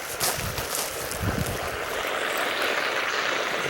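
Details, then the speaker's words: Buried drip irrigation line under bushes, pipe leaking at full flow: a steady soft, airy hiss with faint watery splashing and no machine behind it; water leak hiss. "sounds like it it sounds like like it's right in here and see here's here's the pipe and it's just going like full steam ahead that's something I know it's coming off that pipe"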